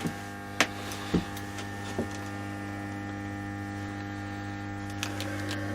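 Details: Car battery charger with a 180 A start function, working again after its blown plug fuse was replaced, switched on and charging a small scooter battery: a steady low mains hum with a few faint clicks, normal transformer hum, no buzzing or arcing.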